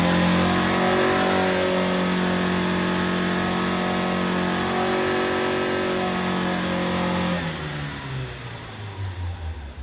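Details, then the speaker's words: Scrap Vauxhall Corsa B track car with freshly rebuilt C20XE engine on carburettors, dyno run after carb tuning; steady high-rev pull with an even, clean note, easing off smoothly, no misfire or knocking. Made 210 hp, no leaks. Normal. "The car's done us proud. No leaks, no problems. I'm well happy. It has made 210 horsepower, which is what we expected."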